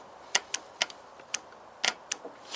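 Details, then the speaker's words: 2001 Toyota Avalon 1MZ-FE V6, 87k miles: bank 2 VVT oil control solenoid removed and energized on the bench gives sharp solid clicks with quiet between; solenoid works properly. "We're going to energize it and see if it moves. And what happens? It does move. Seems to be operational. Nice solid click."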